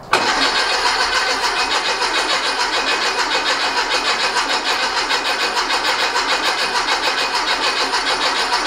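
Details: Rebuilt 1835cc air-cooled engine for a bus, first start after rebuild, good oil pressure and fuel confirmed: steady starter churn near two beats a second, never catches; cranks fine but no spark, electronic ignition module in question.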